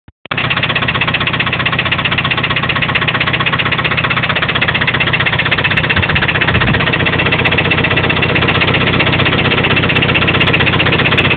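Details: Toyota 22RE engine at steady idle: repeating knock about four per second throughout; owner unsure whether it comes from the rocker assembly or deeper in the block.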